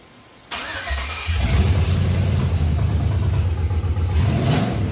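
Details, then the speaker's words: 1992 Chevrolet K1500 with LS 4.8 swap, first test fire after adding oil, harness plugged in, collectors and O2 sensor fitted, temporary setup: catches after a short crank and settles into a strong, even low rumble; clean first start. "Hey. Not bad. All right, hold on. All right, that's a small victory, I would say."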